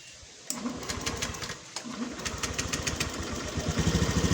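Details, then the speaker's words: Honda Beat ESP scooter, complaint of feeling heavy and lacking power when throttled; started to check condition, it idles with a quick popping beat and revs climb unevenly and sluggishly, strained: hesitation when revved, cause not yet identified. "Dan di kesempatan kali ini saya dapat garapan motor Beat ESP yang ini dimana kendalanya motor berat dan tidak bertenaga."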